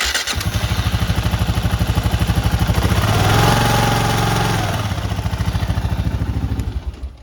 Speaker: But we're getting the noise from the timing chain, so we're gonna have to tighten up the timing chain balancer.